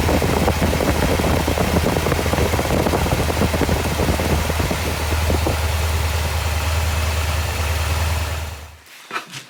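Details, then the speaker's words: Porsche 928 V8 idling with a slightly uneven, loping thrum before shutdown; owner suspects it runs on 7 cylinders, and a compression test shows cylinder 1 reading lower. Misfire cause not confirmed. "And then I need to try and work out which one isn't working because I am pretty sure the old girl's running on 7 cylinders."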